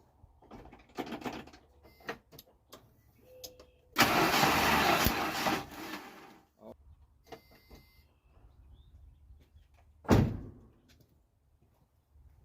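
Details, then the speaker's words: 1986 Jeep Comanche 2.5L, cranking with valve cover off and idle motor unplugged: harsh crackling burst over starter whirr for about two seconds, the idle-motor connector arcing to ground; ignition arcing while cranking. "I had the idle motor unplugged and apparently if you try to start it with that unplugged it will Arc to anything near it that is a ground so that's what that noise was"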